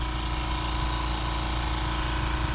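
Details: Ultra-quiet 2-gallon Fortress air compressor running for a leak-down test on a freshly rebuilt 2000 Jeep 4.0L: low, even drone with a steady hum, no knocks, rattles or surging; normal running.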